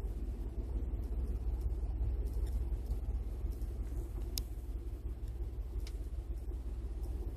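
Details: 2012 Ford F-150 5.0 V8 at cold start, idling low and uneven with a loping rumble and stumbles, bucking and jerking. The ECU retards ignition timing 9 degrees on the cold-start map, with little vacuum, for about a minute until timing goes positive.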